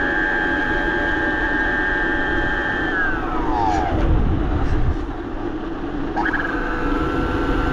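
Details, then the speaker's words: BBS02 mid-drive e-bike motor running on 72 volts after a rough conversion; loud, high electric whine that holds steady, sweeps down as the motor slows, then climbs back; owner suspects something is still out of whack and plans to open it up. "she's a screamer I don't know well I'm probably going to open it up and like poke around in it it seems like something's out of whack still"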